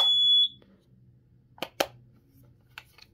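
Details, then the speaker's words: Kidde smoke alarm, two batteries slid in per diagram; one short high-pitched chirp as it powers on, then light plastic clicks; normal power-up chirp. "one battery goes in like this actually got to put them in a certain way you have to slide them in from this way and then the other one slides in the same way and it and it will CHP at"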